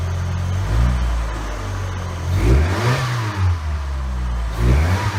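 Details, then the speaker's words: 1990 Mustang stripped of every panel for a lightweight car, engine started before the first test drive: it climbs and drops through several clean blips with a smooth even note, no knock or rattle; healthy engine revving. "That works. Sounds really good. Sounds healthy. No knock, no nothing."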